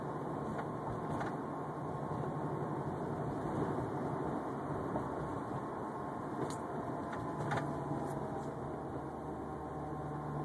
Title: Unknown whining noise 2